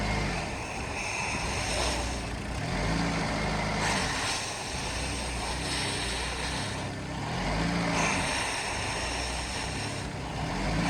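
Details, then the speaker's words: Vehicle run with mass airflow sensor unplugged while air is blown into the sensor; uneven idle swelling and sagging every two to three seconds, hunting for air; no codes set. "so right now we've got the mass airflow sensor unplugged here I'm gonna try and get this vehicle to run just by blowing into the sensor"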